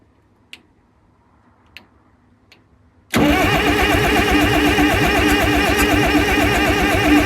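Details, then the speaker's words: Cat 922 loader diesel after a cylinder head removal, valve work and reinstall, on a frosty 0-degree morning, fuel system already charged. Quiet ticks, then the starter spins it over with a steady, even churn of about three beats a second to build oil pressure. Cranks but never fires. "So, I'm just going to spin it over first and then get some oil pressure."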